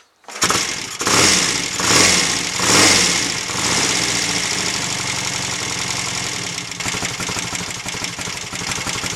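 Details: Royal Enfield Interceptor MK1 twin after carburettor rejetting (25 pilot, 380 main, 106.5 needle jets, 3.5 cutaway slides): cranks a few strokes, catches cleanly and settles into an even idle without spitting back or hesitation; normal start and idle.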